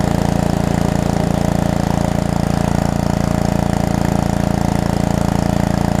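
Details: Pressure washer small engine, plenty of clean oil, water purged from the pump before starting: steady, even drone at constant speed with a smooth, regular firing beat while it pumps and washes; healthy normal running under load.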